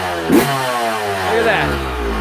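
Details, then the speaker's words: Cold Yamaha YZ125 two-stroke, idle deliberately set very low; settles to a steady crisp idle between two clean throttle blips with no bogging or spitting, running clean from the start thanks to proper jetting. "see if I get the idol I got idle set so low at Harley Idol some sometimes there you go but this bike runs clean right from get-go"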